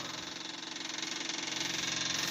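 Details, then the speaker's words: 1988 Tennant 255 Series II sweeper, unused for a long time, just fitted with a new fuel line, key on with booster on the dead battery: steady high-pitched hum and fast pulsing buzz with no engine firing; electric fuel pump priming. "It's probably gonna take a while to pump it. There it goes."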